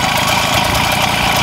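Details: MBK 51 moped with Cobra exhaust cracked and broken off, can't be fixed in place: raw, loud, rasping two-stroke idle with sharp popping and no muffling; exhaust to be ground out and welded.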